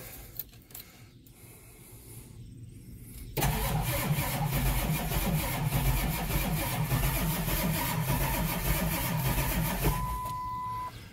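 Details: Ford Powerstroke diesel, 143,000 miles, PTO on transmission, didn't start before: quiet clicks then uneven cranking, about three rough lumpy beats a second, struggling to fire evenly. Owner suspects a dead cylinder, not confirmed.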